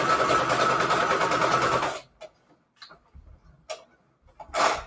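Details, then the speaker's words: Sewing machine on straight stitch at default settings, sewing fine but rattling: fast, even clattering about three beats a second, then stops. Owner doesn't know the cause and suspects it needs cleaning; sewing machine rattle. "okay so now we need to sew it together and i'm going to use a straight stitch default settings why that is making such a rattle i really don't know it's sewing just fine it's just rattling like i said i think i need to clean it"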